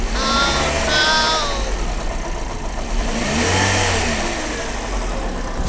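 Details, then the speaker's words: Used Toyota Yaris, about 5 months after purchase, knocking from the front of the engine after an upcountry drive; belt tensioner/pulley checked first, water pump found faulty and replaced, then silent: uneven knock over idle and revs; water pump knock. "แล้วก็อาการมาสะท้อนมาหน้าเครื่องดังก๊อกๆเหมือนแล้วก็คืออะไรสักอย่างหนึ่งเสียไก่คันอยู่หน้าเครื่อง"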